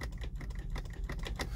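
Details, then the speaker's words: Mazda CX-7 with charging system OK and a booster attached: rapid dry clicking, about six a second, with no cranking; the starter is bad while the security light is fine. "this car, you hear the starter is clicking, but it doesn't want to start."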